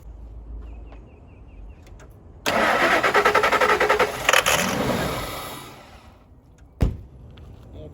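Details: 1999 Ford F250 Super Duty, EFI, sat in a mud hole 9 years, will-it-run test on sprayed starting fluid: long crank then short rough burst of firing that fades and dies; not fuelling on its own, cause suspected, not confirmed.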